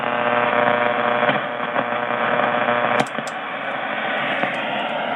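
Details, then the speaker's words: Shortwave radio reception with the MFJ-1026 noise canceller switched off: a constant raspy buzz over the whole band swamps weak signals. Suspected source is a failing power line or pole, possibly a neighbor, not confirmed. "you can hear that raspiness i i think it's a power line pole i don't know it could be a neighbor"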